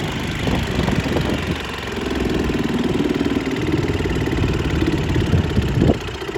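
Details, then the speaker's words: 1938 Bendix Eclipse SMD 2.25 hp single-cylinder antique outboard, saved from scrap: steady, even idle with soft regular beats; runs smoothly but sounds barely enough compression, throttle response not great. Normal running. "so you can see it's not a Powerhouse but it runs pretty well"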